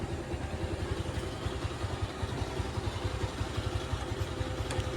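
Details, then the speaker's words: Bajaj Pulsar motorcycle just after a full engine fitting, key-started: a steady, even single-cylinder thump at idle with no knocks or rattles. It sounds healthy; the clutch is a bit tight and will be adjusted as needed. "वगैरह सब बहुत अच्छा आया है।"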